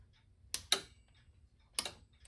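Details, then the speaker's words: Standard Electric Time Company slave clock: three sharp dry clicks, two close then one; key moves per impulse, minute hand advancing 1 minute per click; normal stepping. "this little key is moving each time the impulse is sent. And each time it clicks, the minute hand will move 1 minute."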